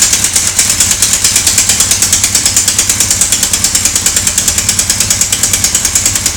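Sharp, even ticking at roughly three per second rides over the idling engine; a knock is present but its cause is unclear.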